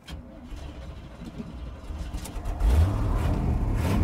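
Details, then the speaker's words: 1979 Chevy C20 square-body big block truck, off the road about 13 years, keeps stalling at idle: faint uneven rumble, catches and is revved hard to stay alive, then dies; owner suspects roughly 10-year-old leftover gasoline in the tank. "I do not know how old that gasoline is I added like two gallons to the tank but I'm sure there was uh some leftovers in there that are probably 10 years old so that's probably not helping us much"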